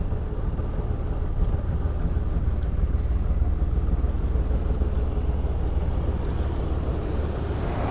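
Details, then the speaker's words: Engine idling right after first start: a rough, lumpy, stumbling extreme misfire under wind noise; seller said the fuel injection system is busted. "listen to that started right up like it's been running forever well as you can see guys it's got an extreme misfire and that's part of the running problem"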